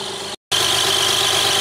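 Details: 1994 Lexus ES300 3.0 V6 automatic that won't drive forward, only in reverse, idling in park during a transmission fluid check with dark fluid: a thin, high-pitched chirp rides steadily over the smooth idle; source not yet found.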